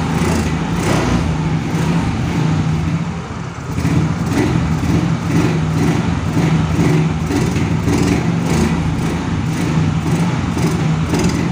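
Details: Yamaha Mio Soul GT scooter that dies when throttled, no MIL code or scanner reading: revs up and holds only with petrol poured in at the air filter intake, then falters; confirmed weak fuel injector.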